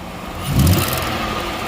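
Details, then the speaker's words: 2014 Ford Explorer with a hiss/scrape from the exhaust area: brief rev over idle brings a raspy puffing from low by the manifold, with one manifold bolt missing; leak at the bottom of the exhaust manifold. "It's leaking right there. Right in the bottom of the manifold."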